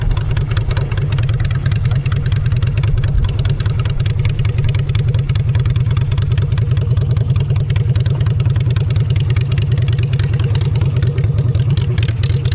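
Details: Honda Shadow V-twin after a custom makeover with custom exhaust, in neutral: a deep, steady thump, even and unbroken throughout, with no knocks or misses. Normal idle.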